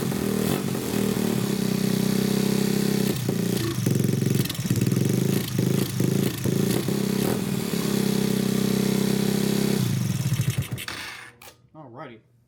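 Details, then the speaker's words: Honda Grom clone single-cylinder after valve adjustment (compression felt low before): fast idle thump with throttle blips, then shut off; idle a little high, to be turned down; runs fine with valves set. "So, it does run. Let me turn the idle down a little bit. It was a little bit high."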